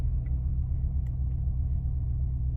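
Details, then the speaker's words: Warm 2005 Maserati Quattroporte, 4.2 litre Ferrari V8, restarted after cooling: radiator fan off, idle rises slightly from about 950 to 975 rpm and holds. Low, even rumble, no hunting or misses; normal idle. "Fan's gone off, revs have gone up slightly. We're staying around 950. Bang on 950. It's going to be 975."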